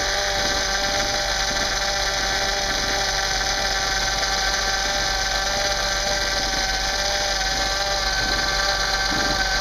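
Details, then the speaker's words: 2009 Honda Accord power steering fluid flush, engine idling while refilling and bleeding: steady high thin whine over idle as wheel turned slowly; air still being bled. "Okay, cut it back off. You can still hear it's thirsty, huh?"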